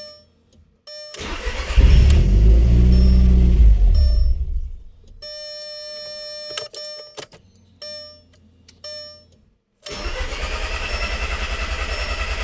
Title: 2001 Audi TTS no start help